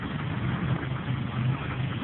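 A petrol engine idling with a low, uneven rumble and a faint repeated knock pulsing through it. Cause suspected, not confirmed.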